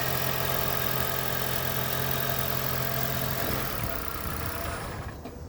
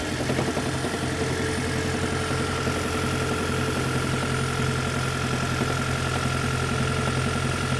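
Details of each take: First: 2010 Toyota Prius petrol engine after its knocking and rattling was fixed: smooth idle with an even low hum and no knock or rattle, then it winds down and stops. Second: 2010 Toyota Prius at idle: light, somewhat uneven knock and rattle about twice a second under the engine hum; engine knocking and rattling, later fixed, source not identified.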